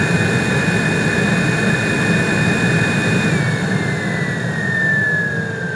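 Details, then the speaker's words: 2010 Nissan Xterra Off-Road after replacing blower resistor, blower motor and cabin air filter for no-blower complaint: loud steady rush of air with high whistle on top, even and unwavering; blower running normally on high. "Sounds like she got a turbo, man. Wow, that's cool."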